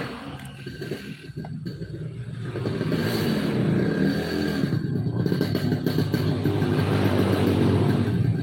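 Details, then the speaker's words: Yamaha RX King two-stroke, daily-use setup: ragged, stuttering low-RPM running, feels rich and wet; stiff reed valve petals and rich carburetion blamed. "Keluhannya berbet di RPM bawah."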